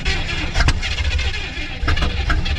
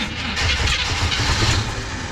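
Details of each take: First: 1970 Chevy C30 farm truck with a V8, thought to be a 350 small block, parked about 38 years, first start on a new battery: a rough catch settles into a steady, deep idle with no knocks, smoking heavily. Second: 1970 Chevy C30 farm truck with a suspected 350 small-block V8, parked up to 38 years: starter churns, then uneven low thumps as cylinders catch and sputter once fuel reaches the carb; carb leaks possibly from overfilling.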